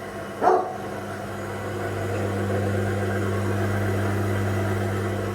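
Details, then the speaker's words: Haas VF1 CNC mill after a spindle gearbox rebuild, low gear around 500–1000 rpm: steady low hum with a faint rough gear growl, unlike a silent VF3; a burred gear in the spindle gearbox. "There's a bit of a noise. $1,000. You think, oh, it still doesn't sound too bad, but my VF3 is silent."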